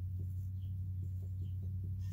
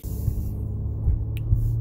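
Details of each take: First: 2009 Acura MDX, original front sway bar end link at almost 140,000 miles, passenger side, wheel off and vehicle lifted: light repeated clunks about four a second when barely rocked by hand; worn, loose end link causing clunk over bumps, fixed by replacement. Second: 2009 Acura MDX driving a bumpy road after replacing worn front sway bar end links that had clunked over bumps: low road rumble, no clunks or creaks; suspension now quiet, noise gone.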